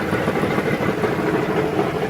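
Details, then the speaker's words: About 2012 minivan idling with a dull rapid knock underneath that grows louder when shifted into gear, from a cracked or loose flex plate, not a rod or bottom-end engine fault. "you can really hear it when I put it in the gear wow it gets louder"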